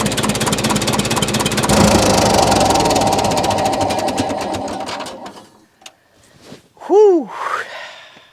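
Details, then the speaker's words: 1941 IH TD-14 dozer sat 25 years, gas starting engine with choke, compression off, throttle down: fires quickly and evenly about five seconds with oil pressure, then shuts down; starts and runs cleanly. "Are we running? We got oil pressure. That's the gas side. Woo. [Music] Oh, sweet victory."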